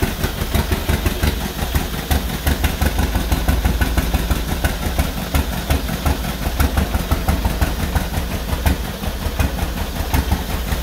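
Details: 1949 John Deere B after engine rebuild, first start with used spark plugs: loud uneven popping around three a second that stumbles and skips instead of steady two-cylinder rhythm; rough running, cause not confirmed.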